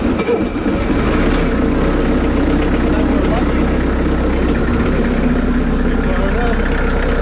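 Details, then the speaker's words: Bobcat skid steer loader with Kubota V2203 diesel, starting after starter-circuit voltage drop testing for an intermittent no-crank, glow plugs used: steady idle with an even clatter of about four beats per second and no misses or stumbles; runs great. "well finally she fired up but it's not reliable to have a hidden Miss we have to get a machine fixed make it reliable yeah running great"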